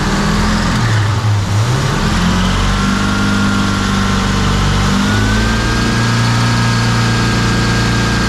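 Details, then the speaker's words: 1966 Pontiac 2+2 with 421 V8, idling after freeing a stuck front carb float; choke not fully open and engine loading up. Thin, steady high squeal over a deep rumble: belt squeal from very rusty pulleys and a belt that could be tighter. "got some belt squeed but those po are Rusty as all get up and the belt could be a little bit tighter"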